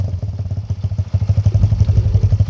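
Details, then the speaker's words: 2020 Kawasaki KLX110 with TB 143cc big bore kit and new BBR exhaust, stock jets and stock airbox, ready to ride: single-cylinder thump at a quick, even idle through a loud exhaust, steady beat with no knocks; normal healthy idle. "So the bike is ready to ride here. It sounds good idling."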